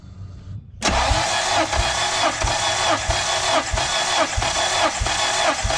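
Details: Turbo Honda K24 with suspected turbo or engine damage, plugs-out compression test: starter cranks in even free-spinning pulses about 1.5 per second; cylinder reads about 170 psi; normal cranking compression.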